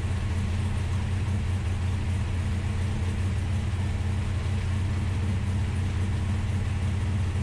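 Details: Ultima GTR V8 that sat unused in a warehouse for 7 years, restarted with oil pressure confirmed and injector/primary temperatures checked: steady, even burble at idle with smooth low end and no misses, knocks or ticks; normal idle, runs surprisingly well.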